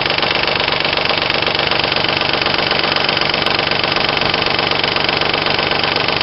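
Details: 1996 Ford Probe GT 2.5L 24V V6: fast even sharp metallic ticking about four per second at idle; owner suspects slack timing belt making a pulley vibrate and slap; serpentine belt also found torn; unconfirmed before belt replacement.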